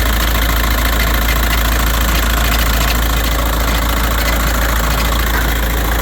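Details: 2006 VW Jetta 1.9L BRM TDI diesel idle with loud, fairly regular metallic clunking clatter about three times a second; popping noise present since purchase, first thought undercarriage rattle; source not found.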